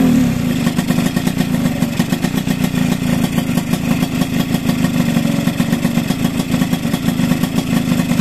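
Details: Two-stroke with Keihin PWK 28 carburetor during tuning, pilot jet 42: busy, rattly burble at steady revs with uneven, blubbery edge; running rich, pilot jet planned to go down to 40 or 38.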